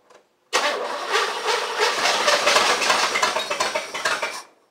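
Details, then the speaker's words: El Camino project car with a charged battery and fresh gas, not yet heard running. The starter spins it at a steady even rhythm for about four seconds without a single firing: a clean crank, no start. It is getting gas and spark; cause still unknown. "listen I need you to run everything is in you're getting gas you're getting Spark"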